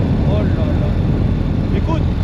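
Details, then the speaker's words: Ural sidecar motorcycle running after refilling the transmission, which had run out of oil and caused a noise: steady, even low drone with no whine or grinding; runs like new. "Bon ben, c'était bien ça le bruit. Il y avait plus d'huile dans la boîte de transmission. Et ça tourne comme elle est à neuf, j'ai du bol."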